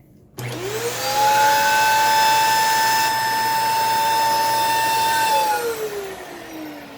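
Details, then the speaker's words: Dyson DC14 All Floors vacuum in bare floor mode, weak suction, no blockages: high steady whine climbs sharply after switch-on and holds strained, then winds down; brush roll likely not the cause; motor straining noise. "it does not like that at all it is very unhappy"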